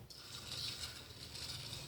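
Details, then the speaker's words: Universal cutter grinder, table moved by hand: a thin metallic rasp drags steadily from the small metal way shields, whose tabs bend slightly and scrape; way shield tab scraping. "they're just little metal shields that keep grit and dirt from getting up into the you know the ways of these machines they just little tabs that bend over a slight amount so that's what's making that noise"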